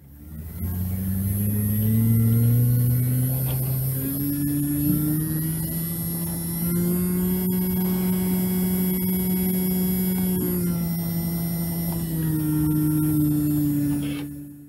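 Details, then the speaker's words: Spindle motor of a JVC Victor XU-D400 Mk II MD combo deck, previously dead and revived on a bench power supply, now quieter, hums at a steady even pitch holding stable speed at 4 volts; normal spindle motor speed. "I'm at 4 volts and it's holding a stable speed good happy this makes me"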